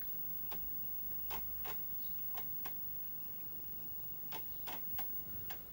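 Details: Amiga 500+ being refurbished for random resets, booting with the keyboard disconnected: quiet irregular floppy-drive ticks over a faint hum, spread over a few seconds; seeking normally and booting fine.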